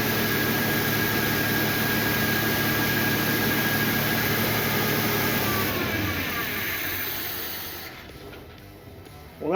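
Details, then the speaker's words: 1977 Ford Fairmont XC GXL, 302 V8, stored 12 years in a shipping container, started on fuel poured into the carburetor: roars up and holds high revs without settling to idle, then dies; throttle linkage stuck. "so obviously the accelerator was on a little bit and it took off so that runs which is great um I didn't want it to go that hard but here we are so this throttle linkage is definitely stuck"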